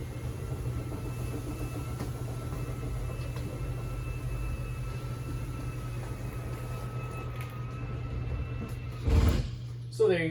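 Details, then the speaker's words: 2020 Starcraft Autumn Ridge 21RBS travel trailer slide-out: steady electric motor hum, then a couple of sharp clicks as the motors reach full extension, which is normal. "You heard that clicking, so you know your slide outs at a full extension."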